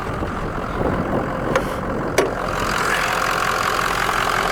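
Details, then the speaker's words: 6.0 diesel work truck, standpipes replaced October 2020: a healthy, even diesel idle clatter with a steady rhythm and no heavy knock or stumble, just a couple of clanks; it still runs perfectly. "that 6-0 is running strong sounds and it's still running perfect after changing the standpipes in it"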